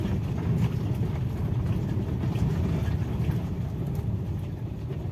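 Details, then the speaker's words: Used 2015 Toyota Avanza E manual, about 88,000 km, driving on gravel and small stones: steady low road rumble, no knocks or clunks, steering normal; suspension soaking up stones, normal. "masih kenceng tidak ada bunyi gluduk-gluduk disetel juga tidak ada rasa apa-apa tidak ada bunyi-bunyian"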